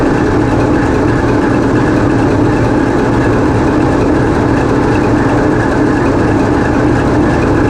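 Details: TEP70 0237 passenger diesel locomotive on run-in trials after repair, GoPro in the diesel engine room: steady, even diesel drone with deep low rumble and no knocks or misses; running healthy.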